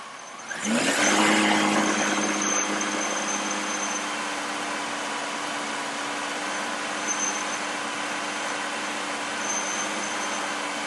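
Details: Engine, throttle applied: picks up smoothly and settles into a steady, even run with clean tone and no misfire or stumble; O2 sensor switching and fuel trim responding; normal acceleration.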